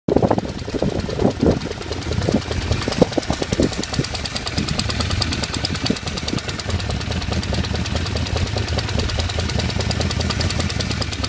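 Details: 1978 Honda CB550K four-cylinder with a fast, even top-end ticking at idle that quickens when revved. Owner can't tell what the noise is or where it comes from.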